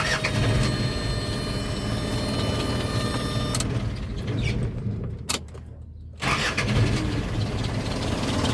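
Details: Isuzu NPR diesel truck after troubleshooting a bad starter relay: starter grinds over briefly, engine catches after a short pause and settles into an even diesel idle; starting normally.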